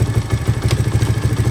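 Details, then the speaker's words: 1983 Honda XR200R single-cylinder after top-end rebuild and engine overhaul, idling in neutral about 10 minutes, warming to operating temperature: even steady thump six or seven beats a second, no misses or clatter; idle screw adjusted as idle stuck after revving; normal warm idle. "Hey, we've been idling here for probably 10 minutes or so. Just letting this get up to operating temperature. Everything still sounds good."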